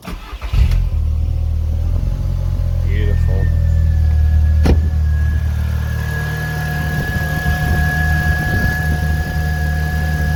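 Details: 2000 VW Golf Mk4 GTI 1.8T AGU, after replacing the failed ignition amplifier (ignition control module on the airbox): the engine catches at once and settles into a smooth, even idle with no stumble or misfire.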